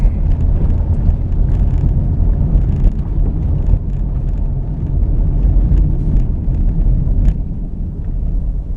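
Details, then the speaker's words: Car braking to a stop after replacing a caliper whose slider pin had seized and caused squealing: only low road rumble, no squeal or scrape; brakes now quiet. "The caliper with the seized slider pin has been replaced. We come to a stop."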